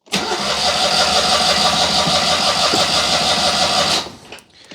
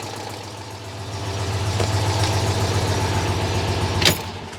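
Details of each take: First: Citroën 2CV with electronic ignition, conked out and wouldn't restart, choke set, neutral, no throttle: starter spins about four seconds with no firing; crank no start, spark tester later shows no spark; ignition unit suspected. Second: Citroën 2CV flat-twin after ignition wiring tinkering: steady low putter three to four beats a second at even idle, running again; owner hears an exhaust leak, timing still to recheck.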